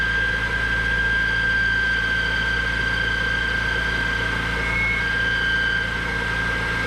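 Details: E46 BMW M3, oil overfilled, first start on a jumper pack after an oil change: steady idle with a constant high whine and rattly noise on top, suspected to be an accessory, possibly loose.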